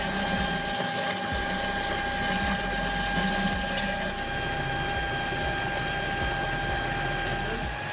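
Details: 2001 Ford SVT Lightning with the fuel pump relay (#301) jumpered to drain the stock tank: a steady, high electric whine with an even pitch over a faint watery hiss as the in-tank pumps run normally.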